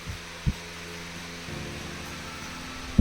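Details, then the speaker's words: Household fan after its shaft bearings were cleaned and lubricated, fixing noisy slow spinning: steady low even hum at first and second speed, a couple of light handling knocks, running smoothly with no bearing noise. "Bien, vamos a darle primera velocidad. Y podéis ver que va a maravilla. Segunda velocidad. Una maravilla."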